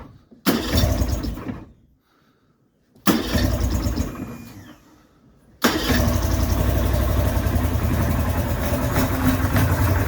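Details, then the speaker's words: 55 hp Johnson two-stroke outboard, first start after teardown and reinstallation, before carb adjustment: two short starts that die, then a loud, slightly uneven idle. Still rough; carbs need adjusting. "we've got more of that blah sort of sound going on i think it's i'm not going to say it's fixed but play around with the carbs a bit we'll see if we can get it to idle better"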